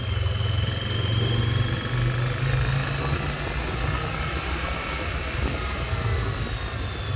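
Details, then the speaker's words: 1996 Yamaha Virago XV750 V-twin, sat about 10 years untouched, test ride after cleanup: steady low rumble, even firing with no misses or surging over wind noise; running properly. "Pretty damn good. Cleaned up really nice. This was actually super easy to get cleaned up and running great."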